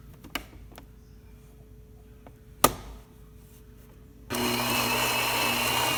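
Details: Gaggia Anima Prestige grinder after repair, weak lid magnet replaced with stronger glued magnet: clicks then steady even whir and gritty bean crunch. Normal grinding.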